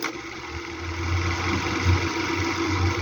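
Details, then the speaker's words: Arno electric fan running with a buzzy uneven rattle over low motor hum from shaft end play; fixed by adding a bit of electrical tape on the shaft. "Só eles tem folga. Só coloquei um pouquinho de fita isolante no eixo, empurrei a ele se acabou seu estó."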